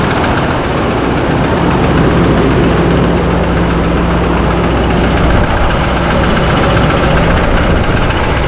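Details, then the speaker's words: 2024 Chevrolet High Country Duramax diesel, first start after rebuild, oil pressure good: rough idle with irregular light knock about four per second over clatter; suspected lifter or injector, an engine ground was unhooked, cause unconfirmed. "Check the they got lots of oil pressure, it says, but sounds like a lifter or something"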